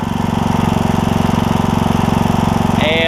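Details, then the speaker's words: John Deere E100 mower, 17.5hp Briggs, 80 hours, just after camshaft replacement for hard starting: fast, even thumping beat at part throttle, steady pitch, no misses or knocks; muffler burning off oil; running healthy. "muffler's got a lot of oil to burn off so we'll let it do its thing"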